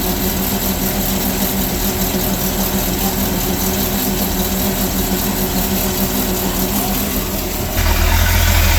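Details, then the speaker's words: Sea Ray boat with a MerCruiser Chevy 350 5.7 L 260 hp V8 after a power-steering cooler leak check, steady low idle rumble with an even beat and no knocks or misses, lifting slightly near the end; healthy. "the other good news is we get to fire up this 350 with 260 horses of Fury and listen to it sing listen to how quiet that engine is"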